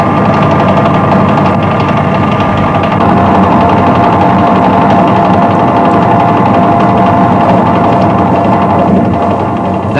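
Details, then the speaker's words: Lathe turning a long bar held in the chuck, free end now supported by a dead centre in the tailstock: work no longer deflects, so the cut is smooth and steady with an even, clean tone and no chatter. "sounds better the work is no longer deflecting so the cutting action is much smoother"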